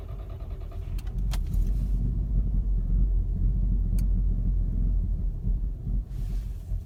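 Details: Mk6 GTI after a hot restart (driven to operating temperature, then off about 15–20 minutes): a low, uneven idle with a lumpy, wavering rumble and dips in the beat, close to stalling. This happens randomly and the owner cannot find the cause.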